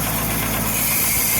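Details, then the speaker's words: Jacobsen LF1880 reel mower backlapping in place with compound, reels adjusted for a bit more contact: engine hum with steady light swishing as reels spin against bedknives, not too tight; proper reel-to-bedknife contact. "now i got nice contact when i start this up this reel is going to be screaming but it's not too tight but it's enough contact to get those blades nicely backlapped"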